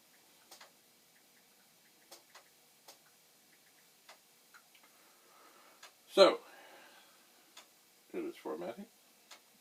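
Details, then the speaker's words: Commodore 1541 floppy drive formatting a disk (supposedly about 80 seconds) after opening it to fix a door that would not engage the hold-down mechanism: quiet, crisp, evenly spaced head-step ticks, no grinding or knocking; the drive sounds healthy. "it supposedly takes about 80 seconds to format a disk so it does"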